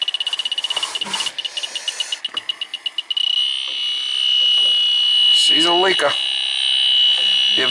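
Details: Central air conditioning not cooling, low on refrigerant, leak detector at the air handler evaporator coil: fast high beeping about four a second runs together into a steady shrill tone; refrigerant leaking at the evaporator.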